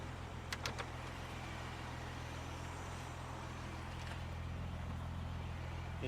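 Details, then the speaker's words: 1969 car off the road for decades, fired up after the stuck accelerator linkage was adjusted: a low, smooth, even hum settling into a steady idle with no misses, knocks or ticks. A brake booster air leak is suspected. Normal idle. "engine sounds really good so we're gonna find out what we've got"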